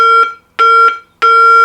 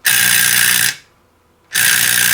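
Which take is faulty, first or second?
second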